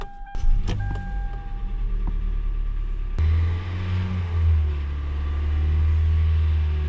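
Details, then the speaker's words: Car warming up after it started once the fuel pump was touched, suspected intermittent fuel pump: a few clicks, then smooth low idle hum holding steady without stumbles or misses; runs fine, pump replacement deferred. "Alright, the car continued to run just fine, and the customer wants to wait till the fuel pump goes out again until they want to replace it, so we'll do that."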